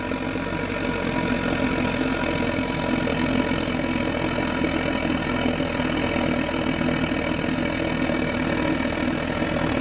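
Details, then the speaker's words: 1:20 RC model Romanian Danube gunboat Fulgerul, two Quartz Anton steam engines, 100×200 mm boiler heating toward 2 bar: steady, even soft roar with a faint hum, no knocks or sputter; burner and boiler operating normally. "Ah, voilà, vous entendez? On commence à ronronner."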